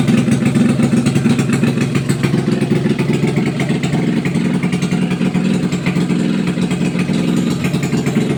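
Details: Test run of a freshly overhauled small single-cylinder motorcycle (tagged XRM125, drag bike). It revs and settles with a steady, crisp exhaust beat and no rattle or misfire. Runs healthy after the overhaul.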